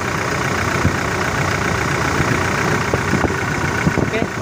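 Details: 2018 Toyota Innova diesel, common-rail with VNT turbo, idling during quick engine check: steady even clatter with no misses, knocks or hunting; oil rising well to the valve area, healthy engine.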